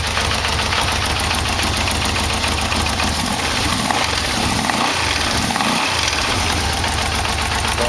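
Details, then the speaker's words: Yamaha V-Max 1200 (VMX1200) idling after new exhaust pipes were fitted: steady idle with a light, fast tapping on top. The source of the knock is unknown. "I can hear their little knocking in it I'm not sure what"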